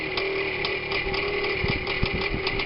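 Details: Minsk two-stroke motorcycle with a K62S carburetor after float adjustment, clutch ratchet replacement and an added washer to stop the kick-starter sector rubbing the clutch sprocket; steady buzz at an even idle, no scraping from the clutch side, runs clean.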